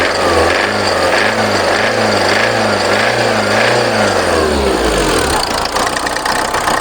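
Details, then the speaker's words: VW Passat B3 diesel after revival, possibly flooded from cranking: uneven, surging beat about 1.5 pulses a second before dropping off, still jerking slightly but better than at first; it smokes, has a leaking mid/rear exhaust joint, and the injectors are unchecked. "No zobaczymy no nie chce pochodzi jeszcze bo już coraz lepiej chodzi jeszcze delikatnie szarpie ale już lepiej niż na początku"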